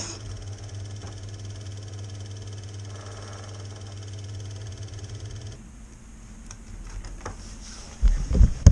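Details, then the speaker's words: 1975 Elna Lotus sewing machine after the flat spot on its motor roller was repaired: a smooth, steady motor hum with no knock or rub. The horrible grunting noise it made before the repair is gone. "ce problème la règle elle ne fait plus ce bruit horrible quand elle tourne"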